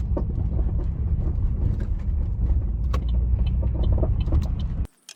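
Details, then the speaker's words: Vauxhall Astra GTC VXR driving: irregular dull knocks from the front driver's side over heavy road rumble, present since purchase. A slightly cracking suspension arm bush is suspected, not confirmed. Front suspension knock. "what i'll try and do as well is i believe i do have a clip of the knocking itself i'll try and insert that clip here"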